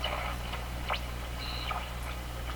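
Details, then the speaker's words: Westinghouse 535 vacuum tube radio on loop antenna: steady low hum with thin heterodyne whistles sliding up and down as the dial is tuned; spurious oscillation still present, tubes suspected, cause unconfirmed. "Still has those heterodyne tones. Okay, loop antenna. Not very good."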